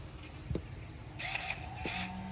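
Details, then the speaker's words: Traxxas E-Revo VXL 2.0 dual steering servos after repairing broken gears with Traxxas 2072X steel gear kits. Bench test with battery plugged in: two smooth high whirs with no grinding or clicking, so the servos work properly. "all right so the first thing we're gonna do is gonna plug in the battery and flip this over what we're doing right here is making sure the servos are working"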